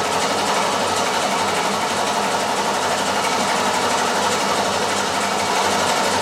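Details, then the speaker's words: 1967 Mustang 347 V8, after rear main seal oil-leak work, cranked with the coil wire removed to prime the oil pump and build oil pressure: steady, even starter churn at about four beats a second, no firing. "I'm going to remove the coil wire so it won't start. So, I can crank it for a while to u fill the oil pump. pump up some oil pressure."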